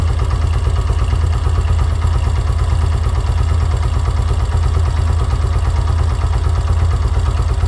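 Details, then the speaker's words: Yamaha YBR125 CV carburetor, idle mixture screw turned in to 1.5 turns: weak, low chuffing idle close to stalling; lean idle mixture. "we can hear that the engine is barely running at 1.5 turn. we are going to note that position."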